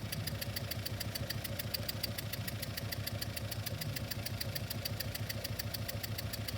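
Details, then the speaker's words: Idling engine recorded by microphone, with the scope triggered from ignition: sharp, regular puffing ticks in step with the idle from cylinder three, where a small compression leak was deliberately opened; it misfires, is loud, and the waveform identifies cylinder three. "I got a little the compression is it's misfiring but it's also acoustic it's loud so we we inferred from our waveform on the scope that uh it is Channel free that is our our problem child"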